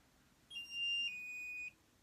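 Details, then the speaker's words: KD-7910 blue light acne therapy pen (one AA battery, warms to 42 °C) in use on the face: one high clear beep just over a second, stepping slightly down in pitch partway; the beep means it is working. "you hear this sound listen to the beeping sound it means it's working"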